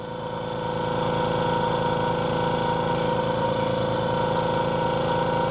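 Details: Bella microdermabrasion machine at pressure 3.5 during skin sensitivity test: even pump pulsing about three and a half per second, steady hum, no knocks or rattles; running normally.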